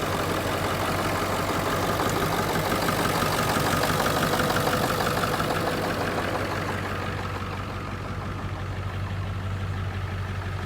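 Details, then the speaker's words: 1997 Ford F350 7.3 diesel restarted after water in fuel killed it: lumpy idle about three beats a second, smoothing and quieting partway through; misfire clearing as owner hopes the last water works out. "well I hope that cleans up I'm hopeful it's just getting the rest of the uh water out of the system we'll see oh she's already sounding better"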